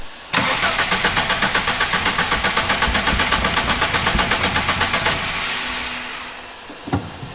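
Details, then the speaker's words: Mk3 Volkswagen with 2.0 ABA engine, 5-speed manual, no spark found earlier: starter spins engine about four even beats a second for five seconds, never fires; cranks, no start, owner suspects ignition. "by the time he sold it to me and brought it down here a month or two later uh it doesn't start at"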